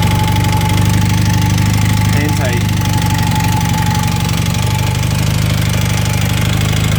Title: 1980 Honda CM400T engine noise